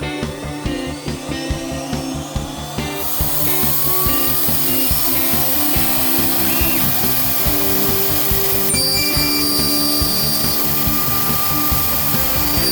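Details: New VFD spindle on a Genmitsu ProverXL 4030 desktop CNC cutting aluminum at 2 mm depth with an uncoated bit: high spindle whine holds a steady pitch through the cut without dipping; smooth cutting, no bogging.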